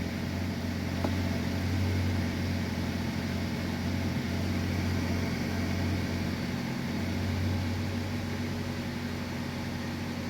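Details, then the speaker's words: Chevy with P0011/P0014 codes, first start after timing work: smooth steady low hum with no ticks, knocks or rattles, engine idles evenly — normal idle. "The engine sounds good. All right, so that's the main thing. I just wanted to make sure it'll start and run, no problems."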